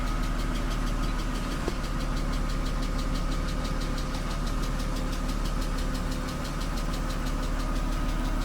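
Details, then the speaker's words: BMW 328i E36, 154,000 miles, said to have a blown head gasket, check engine light on, not yet warm: steady idle with a light quick tick about three per second, likely valve train, not confirmed; no smoke, run briefly. "input time i guess we'll get it in the shop and check all the foods don't sound like it has a mess it's got a tick so we're not gonna run it long"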